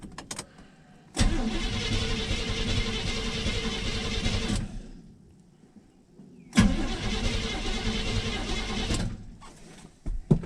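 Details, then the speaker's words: 1983 Chevrolet C-20 first start attempt in about 7 years on a battery borrowed from an '82: two long, sluggish cranking bursts with a labouring starter and dragging rhythm, no catch; the battery is getting weak. "oh battery's getting weak i'll go turn that up see if i can help"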